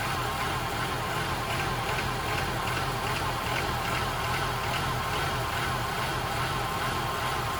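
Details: 1994 Honda Accord petrol engine, idle slowly rising and falling, surging around 1,500 rpm.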